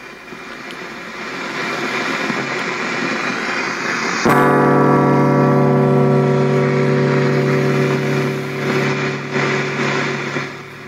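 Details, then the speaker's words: Lexicon MPX1 multi-effect unit (1996), guitar plugged into right channel into amp, output turned up: harsh hiss builds then chord rings over steady static on right channel; effects and signal pass; op-amp suspected, unit not yet opened. "okay you hear all that static there's a lot of static on the right channel uh the effects work the output works the audio signal goes through with the effects but there's static okay so i suspect it might be an op-amp but we'll have to open it up and see"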